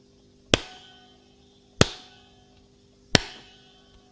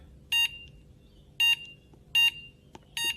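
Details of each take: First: Extech 380193 LCR meter with its rubber holster removed is tapped five times; each tap rings into a bright metallic twang. A loose internal metal shielding spring or shielding is suspected, not confirmed. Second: Extech 380193 handheld LCR meter: four short shrill beeps, one per button press, in a quiet room, loud enough to be annoying in a quiet office; normal button beep.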